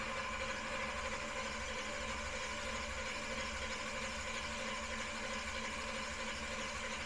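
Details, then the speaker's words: Big-block V8 with newly installed Killshot II throttle-body EFI, first start attempt on a charged battery: strong, even starter cranking, about ninety pulses a minute, turning freely without firing; starter draws heavy current with a large voltage drop. "well one thing is it's cranking really good we charged the battery up earlier but yeah this uh this starter pulls some amperage"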